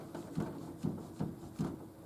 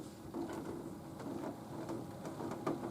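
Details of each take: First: Nautilus U614 exercise bike on resistance level 4, rider pedalling: dull thump about twice a second, once per pedal turn; loose pedal working on the crank. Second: Nautilus U614/U616 exercise bike pedal, after tightening it and sealing the threads with plumber's tape, turns with a soft, even whir and faint light ticks, no clunk or thump; the pedal clunking appears repaired.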